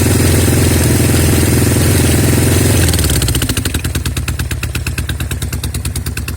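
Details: Norton Commando twin: loud run settling into an uneven, lumpy idle, skipping about three times a second. Left-side misfire; carbs, ignition, plugs, cables, manifold and head gasket leaks are ruled out, with some smoke from the left on throttle.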